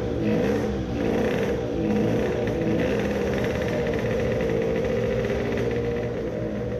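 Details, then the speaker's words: Two-stroke moped: revs wobble and hang with a blubbery burble instead of climbing cleanly; the mixture is rich again. "does it rev any better? it is again rich."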